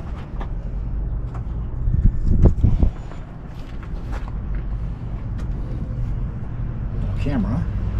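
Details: Big Cummins diesel in RV after replacing fan drive belt, with a bad tensioner found eating belts: low steady drone running evenly, no belt squeal or slap; normal running.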